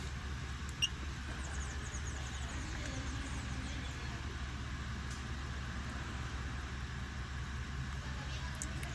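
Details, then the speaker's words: Ford F-150 V8 with the check engine light on, idling and revving with a low, uneven rumble from a cylinder misfire. A scan shows cylinder 2 misfiring; spark plugs or dirty injectors from lack of maintenance are suspected. "evidente que hay un misfire, una falla de cilindro. Pueden haber uno o dos cilindros o más que no estén funcionando correctamente o que de plano no estén funcionando"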